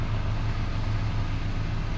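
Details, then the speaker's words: 2005 Toyota Passo on its original ECU after the ground fault behind its intermittent no-start was fixed; low, even idle rumble with steady firing pulses, no misses or knocks; normal idle. "Okay, running well. Engine is smooth."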